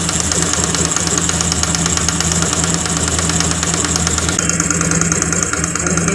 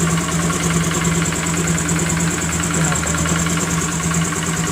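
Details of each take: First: Honda Grazia BS4 scooter idling: busy, uneven idle with a fast ticking knock on every firing stroke. Timing chain was ruled out; the spark plug was found loose and leaking compression. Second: Honda Grazia BS4 scooter after tightening the spark plug: steady, even idle with smooth low hum, no ticking or rattle; engine sound now smooth.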